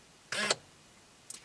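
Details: 2003 Chevrolet Corvette Z06 (C5), steering column lock cycled from the body control module output test on a Tech2 scan tool, key out: a quick whirring clunk of about a fifth of a second, then a faint click; normal lock actuation.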